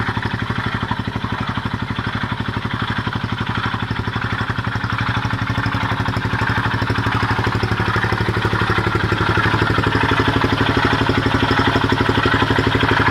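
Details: Honda XL250S single-cylinder idling steadily at about 240 beats a minute, with a rough, gritty grind riding each pulse; pulsating grinding noise.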